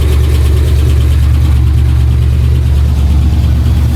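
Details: Pontiac Trans Am V8 idle with deep rhythmic knock about three a second; earlier ticking turned deeper, heard all around engine, oil pressure erratic; owner suspects crank, not confirmed.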